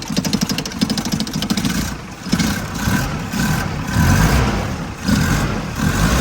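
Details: 1977 Toyota motorhome, engine fired up after sitting parked for months, possibly flooded: uneven lumpy idle with a fast tinny rattle on top, from the air filter housing shaking loose after its mounting bolt was lost.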